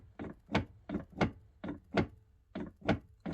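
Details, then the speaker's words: 2013 KTM 85 SX, head and barrel off, crank turned by hand: hollow double knocks about every 0.7 seconds and jams solid at one point; stiff conrod, seized crank bearings with wear lines. "it will you can get it to go past and then it will rotate round and again once it gets to there you can hear it knocking"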